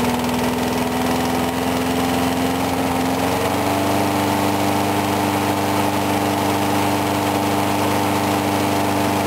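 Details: Briggs & Stratton mower engine cold-started at 35°F after long sitting, water suspected in the gas; started first pull. Steady drone at one pitch, settling slightly higher after a few seconds, smooth, no surging or sputter; normal running.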